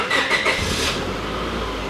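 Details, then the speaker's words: 2003 Honda Civic EX right after fuel pump replacement: short crank, then it catches at once and settles into a smooth, steady idle with no stumble and no seepage at the connections or lock ring. Normal start. "see any uh seepage coming out of any of the connections or around that lock ring anywhere no oh wow that sounded like success"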